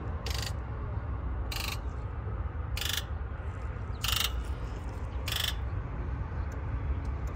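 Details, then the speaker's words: Ford E-350 4x4 with the 7.3 diesel, lacking power, with codes P0470, high-to-low side open and injector driver module failure: injector click test with short, sharp electric buzzes over a low hum. All eight buzzed, yet the same codes returned. "This is also known as the click test. We can actually hear the injectors. You want to listen to the sound of each of them."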